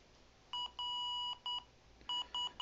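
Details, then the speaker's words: IBM ThinkPad R31 with an mSATA SSD, running Windows XP, at power-on. Its beeper sounds high, clean tones in continuous groups of three, a POST code for system board failure; the laptop still posts and boots, but the beeping won't stop. "can already hear the problem or getting three beeps continuously I checked the beep codes for this computer and system board went out on me and it will not stop beeping"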